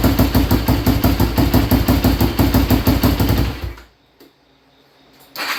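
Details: Frankenstein Yamaha Blaster with a YFZ450 engine swapped in, on fuel tank switched to reserve after running dry: single thumps along at an even beat, about three a second, cuts out briefly and catches again; running fine.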